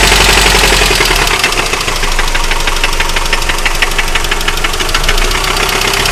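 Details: 2003 Mitsubishi Outlander XLS 2.4 engine: loud, steady metallic knocking about three per second over idle, a deep internal engine knock; owner plans a rebuild.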